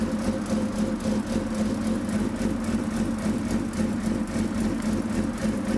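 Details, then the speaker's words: 2005 Suzuki GSX-R600 after the clutch cable adjustment was corrected, started and put in gear to test the clutch: a steady, even engine note with a smooth mid-pitched hum and no knocks or rattles; it runs normally. "So I'm gonna grab the key, I'm gonna start it up, put it in gear, and then I'm gonna use the clutch to make sure that it's not hanging up or anything, and hopefully we'll be in good shape."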